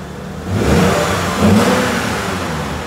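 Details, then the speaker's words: Lexus at 114,000 miles, restarted after internal engine repair, maintenance and cleaning with much disconnected for a long time: two quick, smooth throttle blips settling to a steady idle, no knocks and little smoke; normal. "okay totally normal totally normal we had a lot of stuff disconnected for a long time"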